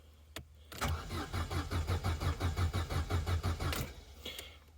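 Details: Corsa B after sitting neglected 4-5 years, cranked with a relay removed: starter cranks at an even, brisk rhythm for about three seconds but never fires; cause suspected, unconfirmed.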